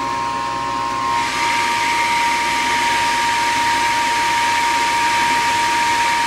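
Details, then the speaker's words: Gas furnace above a carport on a no-heat call: steady inducer fan whir with thin high tone, but the vacuum/pressure switch is not pulling in and the furnace never lights; cause found as dirt in the switch's hose port. "Vacuum switch here. 28. It's in the vacuum switch, not pulling in somehow."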